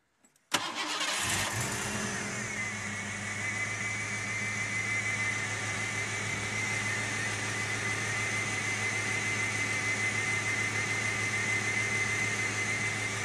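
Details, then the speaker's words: Ford Mustang 5.0L V8, scope on injector voltage and current, number three suspected: starts instantly and idles with a faint stumble, with one of the eight injections missing. Misfire. "jackpot already we know what our problem is this is clearly missing one of the eight injections"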